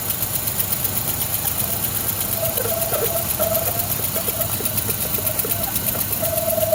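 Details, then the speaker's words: Rebuilt-engine 1966 Mustang at idle: busy idle with quick uneven ticking clatter and intermittent thin whistle; owner first guessed a plugged PCV valve, but the valve rattles freely, so the soft PCV vacuum hose is to be replaced. "not good. Well, not bad, but funny. I'm guessing plugged PCV valve."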